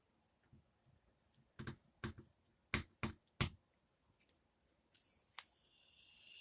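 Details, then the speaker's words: Umarex Legends Cowboy CO2 rifle, partly reassembled, CO2 cylinder screwed in: a few sharp clicks then a constant high hiss that never stops; gas still leaking at the valve joint, not done up properly. "right there hopefully you can hear that it is still leaking oh yeah that's not going to work cuz that's not done up properly so uh yeah we still got a leak"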